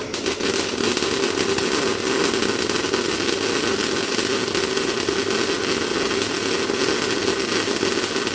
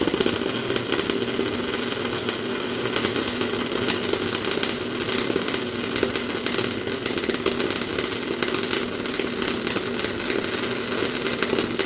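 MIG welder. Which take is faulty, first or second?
second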